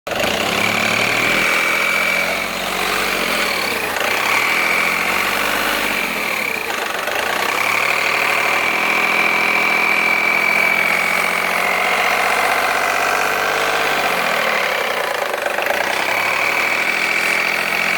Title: Polo 9n3 raar geluid (polo 9n3 strange noise)